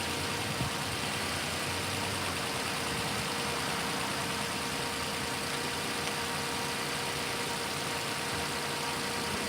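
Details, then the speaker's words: 2000s Lexus RX 330 engine at idle, first start after replacing both knock sensors, knock sensor harness and upper and lower intake manifold gaskets: steady, even idle, no misses, knocks or ticks, fair hiss, no coolant leaks; sounds good. "Motor sounds good. And we don't got no leaks."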